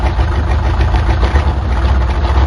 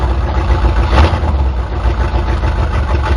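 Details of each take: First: 1977 Chevy C10 Custom Deluxe V8 truck, sat on ramps for years, exhaust not hooked up: deep, loud raw rumble with choppy low pulse at idle from the open exhaust. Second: 1977 Chevy C10 Custom Deluxe V8 started after sitting for years, fired easily: deep, loud, steady idle with throaty open-exhaust rumble, no knocks or misses; healthy engine.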